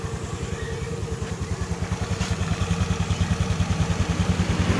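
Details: Honda Beat FI scooter seized from oil starvation (dry oil), freed without teardown and restarted: lumpy uneven idle, coarse low thump about three times a second, smoking probably from oil put into cylinder; piston possibly scratched, unconfirmed.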